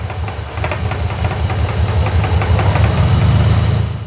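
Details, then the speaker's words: 1986 Nissan 300ZX (Z31) just out of storage: lazy, uneven idle climbs and firms up when the fuel return line is pinched, then fades, indicating low fuel pressure or insufficient fuel through the injectors. "and it seems like it's getting enough fuel at that point this is indicating to us that either the fuel pressure is low or we're not getting enough fuel through the injectors"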